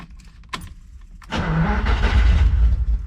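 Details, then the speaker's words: 1972 Ferrari 365GTC/4 V12, a non-runner whose fault was in the carburetors, starts for the first time after they were checked (all squirting, fuel rail full): a few clicks, brief crank, then it catches and settles into a low rumbling idle. "look at [Music] that we're fired that's great"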